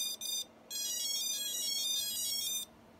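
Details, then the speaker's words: FPV quad (Chameleon build, fourth flight controller) at power-up: high clean motor beeps play a short Imperial March tune in quick bursts, the ESCs' custom startup melody; ESCs won't complete calibration in Betaflight. "helis imperial star trooper theme you know just trying to get them to calibrate"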